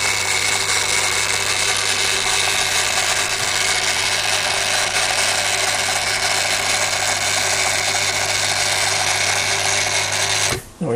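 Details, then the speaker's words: Daiwa DR-7500 antenna rotator (Kenpro KR-400 equivalent), refurbished and upgraded internals: steady low motor hum with bright gear whir, even until it stops; these are always a bit noisy from gear setup; normal. "we've noticed they've always been a bit on the noisy side and the gears are set up in these things so it is what it is"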